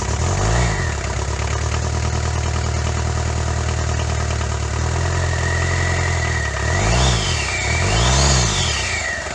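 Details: Daihatsu Fourtrak pickup, first start of the swapped engine replacing one with a blown head gasket: catches and holds a steady idle, two clean throttle blips, no obvious knock.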